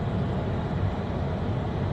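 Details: 1997 Opel Vectra B cabin blower at maximum speed after removing a leaf stuck in the fan, which had caused the noise; now a steady, low whoosh and hum with no rattles or ticking.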